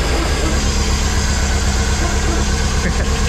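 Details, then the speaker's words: Pinzgauer after fuel pump replacement, first start in about three years, warming up: steady low idle with even unbroken rumble, no knocks or misses; engine sounds healthy. "Sounds healthy. Yeah. Awesome. Truly awesome."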